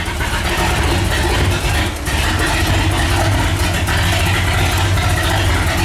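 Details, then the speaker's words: Walkinshaw Holden V8 in a Holden VK, first running after brake and engine work, before tuning: deep, even rumble that holds steady and picks up cleanly when revved; no knocks or misses, engine healthy. "there's the walkar engine in the VK it's finally going everything sounds good now it's tun time"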